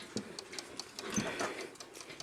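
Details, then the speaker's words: Hummel cuckoo clock with weights on, not yet tripped: light, even ticks about five per second with a steady beat in a quiet room, in beat and running healthily. "So, I have not tripped this at all. I put the weights on. You can hear it ticking."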